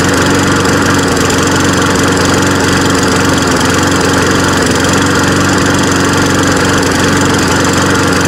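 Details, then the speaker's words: Free, trashed lawn mower after carburetor float work and a fuel-leak fix; it backfired on starting. A loud, steady single-cylinder drone with an uneven, lumpy beat underneath; it runs rough but does cut grass. "so it doesn't run too good but it does run"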